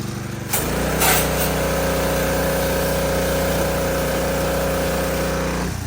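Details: DeWalt 3300 PSI gas pressure washer with Honda GCV200 engine, a few months old, started with a gentle cord pull. Fires up and holds an even, buzzy idle with a light rattle from the loose wheel washers; runs healthy.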